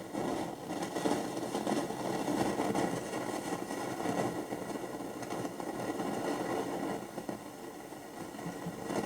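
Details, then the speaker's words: 1969 Telefunken Gavotte 201 transistor radio on internal ferrite rods, midday: steady hiss and crackle on long, medium and all bands with no station received; suspected antenna break, cause unconfirmed. "it's totally dead it's making a lot of noise but uh no reception on any of the Bands"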